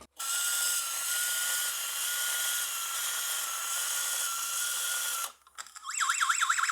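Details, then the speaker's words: 1980s Morgan TR2 talking robot toy, 3 V from two 1.5 V batteries: a small motor whirs at an even high pitch, then the vinyl-disc voice sample warbles at twice normal speed; the music box plays too fast. "I figured out why the music box was running too fast. It's running twice as fast as it should."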